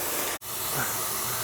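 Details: Basement ceiling copper water line: as the water is turned off and on, a steady high hiss cuts out briefly and resumes, with water seen spraying out. Pinhole leak in the copper pipe.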